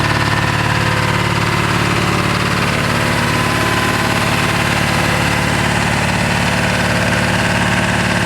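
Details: 1997 Ford F-250 XL 7.3L PowerStroke turbo diesel, cold start at 65°F: loud, coarse clatter with an uneven, shaking idle beat. Rough cold idle from misfire attributed to bad injectors.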